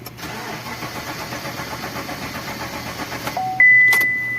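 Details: Engine cranks steadily for over three seconds but never fires; crank no start caused by a stuck fuel pump motor.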